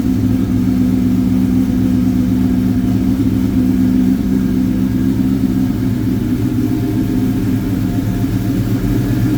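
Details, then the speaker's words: 2003 Ford SVT Cobra Terminator, V8 with a Whipple 3-liter supercharger, aftermarket pulley, American Racing headers and Bassani exhaust, after motor work: deep, even rumble at a steady idle, no knocks or misses; healthy. "I will try to find out the exhaust setup because it does sound really good."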